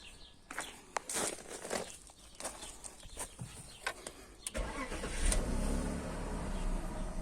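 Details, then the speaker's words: BMW E39 after replacing its fuel pump with a LADA 2110 pump, fuel pressure gauge connected and pressure up: engine cranks briefly, catches and settles into a smooth, even idle; normal start. "Մեր մոտ ճնշումը բարձրացավ, այժմ գործի գցենք շարժիչը։"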